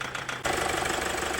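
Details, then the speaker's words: Toyota Hilux 3.0 diesel at idle then revved: harsh rapid metallic rattle, irregular running, flooding, fuel rail pressure spiking high; diesel injector knock. "Olha lá, ó, o bichão castanhando lá na frente. Bichão castanhando. Então esse é o funcionamento todo irregular."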